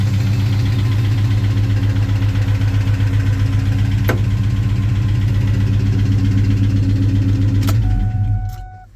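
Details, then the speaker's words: 2003 Ford Mustang SVT Cobra (Terminator) V8 runs a lumpy idle with a bad misfire and a steady deep knock, about four beats a second, then shuts down; owner suspects rod bearing or piston slap in the bottom end. "Sounds like a bottom end issue. and with the sound on it. And the way this thing turns over, I'm thinking it's either a rod bearing or some piston slap in there."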